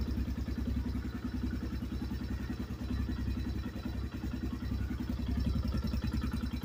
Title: 2024 new xpro knight dlx 250 engine knock